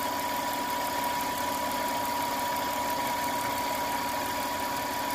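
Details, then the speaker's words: Steady, even idle with a faint constant whine and no shakes or vibrations from a 1992 Lexus ES300. This follows an ECU change plus a cap, rotor, throttle body, filter, catalytic converter and Y-pipe fix of high idle and misfire. "my point was the engine is really sounded good no shakes no vibrations"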